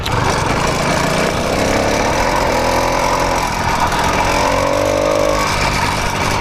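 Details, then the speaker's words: 80cc two-stroke motorized bicycle, first start after tightening the slipping clutch and loose exhaust; starts right up and revs smoothly with a clean buzzy tone, much quieter, no clutch clatter. "Started right up. Way quieter now that I fixed that clutch problem."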